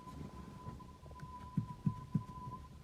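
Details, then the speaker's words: Hyundai Accent, rear suspension knock heard on rough roads: rear anti-roll bar rocked by hand gives three dull low clunks about a third of a second apart; worn rear sway bar bushings. Left rear strut was replaced needlessly, and the stabilizer links are fine. "я вам сразу же сказал что возможно это втулка заднего поперечного стабилизатора вот такие вот втулки которые стоят по 40 50 рублей самые дешевые смотрите короче вот он стук"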